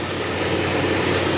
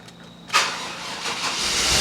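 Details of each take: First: 6.0 LQ9 V8 with a small cam in an OBS two-door Tahoe, new exhaust with catalytic converters, just started after sitting 2–3 weeks: steady, even rumble and airy roar with no misses, shaking or knocks; smooth normal idle. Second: 6.0 LQ9 V8 with a small cam, swapped into an OBS two-door Tahoe and unstarted for 2–3 weeks: short burst of cranking before it catches, then a steady, slightly rough idle; hesitant cold start, owner suspects the battery.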